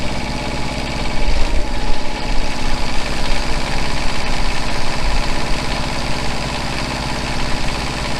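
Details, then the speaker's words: Truck generator set after a new generator head and a smaller aftermarket pulley. The head runs at 3,600 rpm and the engine at about 1,950 rpm. Steady, quieter low rumble with the squeal gone: normal running. "so you see it's a little bit quieter and a squeal is gone"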